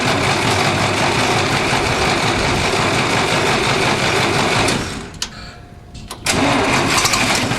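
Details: 1960s Massey Ferguson 165 tractor after carb cleaner flushed brown debris from the carburetor: fires and runs ragged, fades and dies, then catches again, with an unexplained loud hum; stalling from fuel starvation by a carburetor blockage.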